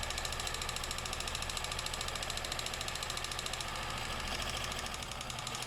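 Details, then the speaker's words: Stuck Kenmore sewing machine freed with penetrating spray, first run after reassembly: fast, busy mechanical clatter, steady throughout, turning freely but loud and rough; rough running with clatter. "oh oh she sounds like a tractor there we"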